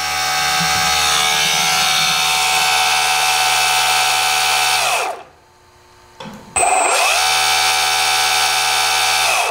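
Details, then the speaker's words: RC4WD Earth Digger 2 RC excavator hydraulic pump driven by an outrunner motor believed to be about 450 kV: loud, steady high whirr that winds down, stops, spins back up; normal noise, from the pump not the motor. "It's actually very silent as an outrunner motor. It's the pump itself that actually makes the noise, so I don't know if they have upgrade that in the new one."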